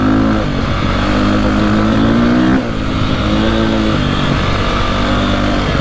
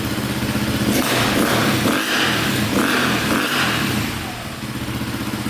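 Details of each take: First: 2002 KTM 400 EXC single after carburetor jetting fix revs cleanly and evenly, hitting rev limiter at the right time, with slight hesitation pulling away and faint backfiring; owner considers going up a jet size. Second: 2002 KTM 400 EXC (sold as 450) revved hard in neutral: stutters and breaks up near the top as if hitting the rev limiter early, lacking power; black plug shows rich running, carburettor fuelling suspected over CDI or stator.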